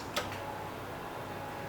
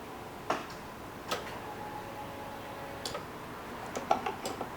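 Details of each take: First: 1990 Jeep Cherokee XJ with a fuel-related no-start, on a fresh battery reading 12.6 V, key cycled to on with the listener near the fuel pump: single relay click, then a faint steady whir as the pump primes normally. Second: 1990 Jeep Cherokee XJ with a fuel-related no-start: with the key cycled to on, sharp isolated relay clicks are heard with no fuel pump hum following, using a replacement battery reading 12.6 V.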